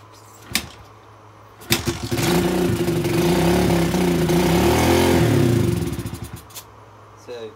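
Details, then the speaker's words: Old carbureted dirt bike, fuel on, before idle screw adjustment: catches, runs rough and uneven a few seconds, then sags and dies; won't hold idle, fix is the carb idle adjustment screw. "that basically means the idle just isn't there"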